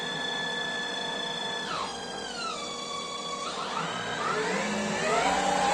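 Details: Microweily TY2500 lathe, new, motor on a VFD: clean high-pitched motor whine swoops down and back up as the frequency/speed changes; normal VFD whine, nothing mechanical.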